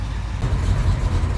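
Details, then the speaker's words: 1969 Pontiac GTO V8 converted from a carburetor to FiTech fuel injection, first fire, cold: after purging air it settles into a steady, even low rumble holding about 900 rpm with no hunting or stumble; healthy idle. "all right here we go almost i'm i'm guessing it's purging all the air out oh hey oh wow it's staying at 900."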